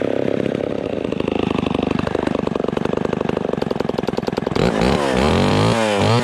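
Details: Vintage Homelite Super XL Automatic (XL12) chainsaw after full tune-up (points, ignition, fuel, carburetor, clutch bearing, chain sharpened): pops and settles into steady idle, then revs cleanly rising in pitch; runs healthy.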